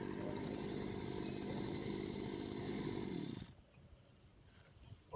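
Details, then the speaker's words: Brush cutter two-stroke after carburetor adjustment with air filter fitted, before deliberately misadjusting the jet: steady, crisp buzz holding even speed about three seconds, slightly under load, then stops; carburetor set correctly and running well. "That's how a brush cutter should work. It should go slightly under load, cutting off a little bit."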